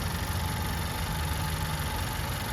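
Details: 2017 Honda Accord four-cylinder with CVT, about 90,000+ miles, code P0741 and dealer says new CVT needed: smooth, even low hum at idle with no ticks or knocks; engine sounds healthy.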